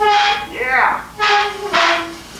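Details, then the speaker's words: Repaired bale unroller arm on a bale mover, moved after welding cooled: loud tonal squeal in three separate bursts as the arm swings, clear steady pitch each time; dry pivot that needs grease. "Definitely sounds like it needs some grease."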